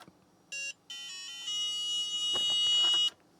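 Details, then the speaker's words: Book8088 laptop, chip partially reseated then pressed: short high beep then longer steady startup tone when pushed; poorly seated chip causes intermittent boot. "all right so I just popped the chip out of the board ever so slightly and I'm just going to push it in partially there we go it's not running"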